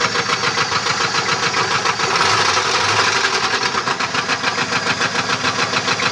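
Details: 1994 LT1 V8 idles with a sharp, regular knock about three or four times a second from a bent connecting rod.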